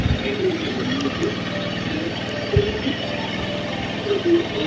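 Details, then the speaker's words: Honda Beat scooter whose owner complains of very high fuel consumption, just started: fast, steady idle sitting noticeably above normal, RPM too high and won't settle to a proper idle; mechanic judges from the sound that it is wasting fuel. "Oke, motor sudah menyala dan ini RPM juga terlalu tinggi ini ya."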